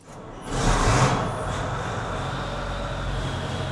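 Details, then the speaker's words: International 1666 axial-flow combine with Cummins diesel, after fitting two new Group 31 batteries and cranking first with fuel off then on: fires almost instantly and settles to a smooth, steady idle with no knock or hunting; gauges good, healthy start. "Fires right up. That's a Cummins for you. Gauges look good."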